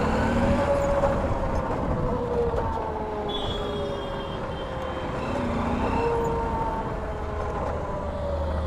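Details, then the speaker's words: Motorcycle riding on road, mic inside helmet: steady aircraft- or helicopter-like droning whirr over road and engine noise, wavering in pitch with speed, coming from the bike; source undetermined, rider heading to mechanic. "What sound is this? This sound is like a helicopter."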